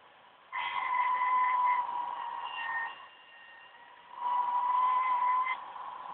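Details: OCZ ZX1250 80+ Gold power supply during the standard Windows 7 performance assessment: thin high whistle near 1 kHz with overtones in bursts under load; choke coil whine.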